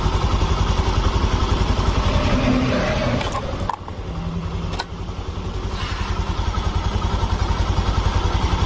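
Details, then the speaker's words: Honda Vario FI scooter after repair, with no more smoke from the exhaust or the engine breather: even, quick putter at idle with a brief blip and no knocking or rattling; normal idle. "normal nih suaranya dan di bagian knalpot sudah tidak berasap suaranya sudah tidak Berisik"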